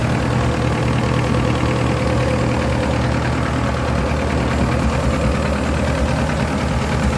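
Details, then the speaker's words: S10 pickup that sat for years, mouse-chewed, dry-rotted vacuum lines, air cleaner off: rough idle with a constant airy hiss over valve clatter; it ran better when starting fluid was sprayed on the lines; vacuum leak. "all right well i got the air cleaner off and i heard you could hear the lines leaking and it ran better once i gave it a shot of uh fluid here"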